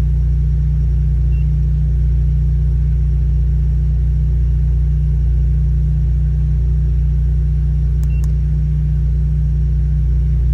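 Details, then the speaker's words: Fiat Strada 1.4 Fire Flex idling: loud, deep, steady rumble with a hollow droning exhaust note, from a holed, leaking rear (final) silencer. "que você está ouvindo mais questão é porque o escapamento do carro final o silenciador final ele tá curado"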